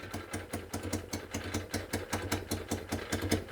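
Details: Citroën 2CV flat-twin idling after carburettor reconnected, with the broken exhaust manifold refitted: sharp, raspy chuffs about five per second over the idle, spitting like an open pipe; exhaust leak at the broken manifold, later bodged with tape and clamp.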